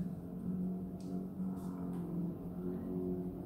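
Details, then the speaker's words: Approx. 12–15-year-old Whirlpool fridge/freezer, model 6ED2FHKXRL04, in a kitchen. Low wavering groan, moaning and gurgling all night, like a distant gyrocopter or lawnmower. The cause is worn bushings in the condenser fan motor. "sounds like a distant gyrocopter or someone mowing their lawns a couple of blocks away and it does this during the night it just groans and moans and gurgles"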